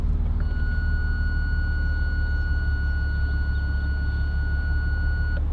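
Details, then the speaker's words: BMW 3 Series put into reverse: a single unbroken high beep for about five seconds over a low engine rumble. This is the parking sensor fault warning, after which the sensors are disabled and silent even when reverse is reselected. "So, what happens is when the car's put into reverse, it just gives a continuous beep and then the parking sensors are not working."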